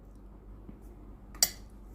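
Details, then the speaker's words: Philips GC9550 steam generator iron, no steam output, after replacing the thermal fuse: quiet room, then one sharp click at switch-on as the water valve resets, normal, before boiler heating and pump priming. "ได้ยินเสียงวาล์วน้ำรีเซ็ตนะครับ"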